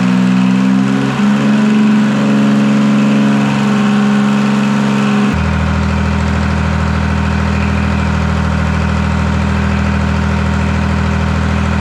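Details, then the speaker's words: Detroit 3-53 two-stroke diesel first start after 25 years, camshaft reversed after a backwards install in its 2000 rebuild, no exhaust or driveshaft fitted: even drone stepping up cleanly to a higher steady speed halfway through, no knocks or misses. Normal running. "yeah, she's running really nice. Hook up the drive shaft tomorrow, get an exhaust on this thing, and yeah, it'd be really nice."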